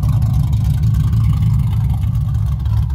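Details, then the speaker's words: Newly installed Ford 4.6 3V V8 on polyurethane motor mounts, with a slight driver-side exhaust leak: a deep, steady, even idle rumble with no knocks or ticks. This is a normal, smooth idle. "it's running. I skipped a lot of steps in the video, but running pretty good."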